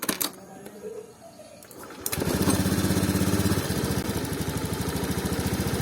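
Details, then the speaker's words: 2019 Honda Scoopy injected scooter engine at low revs: puttering with slight stutter and hesitation as the throttle opens, persisting after ECM reset, TP reset and new spark plug; throttle position sensor fault suspected. "tidak langsung mau naik ada sedikit hambatan brebet ketika putaran gasnya dibuka maka kendala banyak ada di sensor TPS nya ya"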